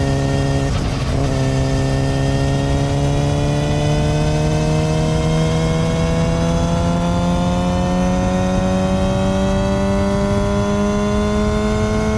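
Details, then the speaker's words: Yamaha R6 after new chain and sprocket kit at 25,000 miles: solid metal front sprocket (stock was rubber-dampened) gives a steady high-pitched hum climbing with throttle, gone off throttle; front sprocket chain whine. "So you probably heard that sound whenever I gave a gas on the bike. You hear just a hum, high-pitched noise, kind of interesting sounding."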